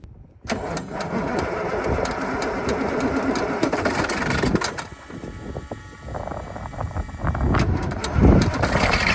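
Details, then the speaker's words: KamAZ military truck diesel cold start at -8°C: cranks briefly, fires quickly and settles into a steady rough clatter without stumbling; starts easily, unlike the Ural. "So the KamAZ started up really easily compared to the to the Ural and I call this one a princess."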